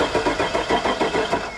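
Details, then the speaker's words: Truck with 85,000 miles and suspect plow wiring, which had no crank until the starter relay terminals 30 and 87 were jumped. Steady starter cranking at about eight pulses a second; the engine spins freely without catching yet. "okay we got we got an engine that cranks it spins all right"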